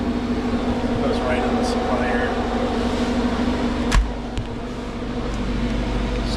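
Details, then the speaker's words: Perlick bar reach-in refrigeration system after TXV (expansion valve) replacement, one condensing unit serving two coils, charged, running and pulling down in temperature: steady even hum, low drone and fan rush, solenoid buzzing, no knocks or rattles; running normally. "calling or cooling. I can hear the solenoid buzzing."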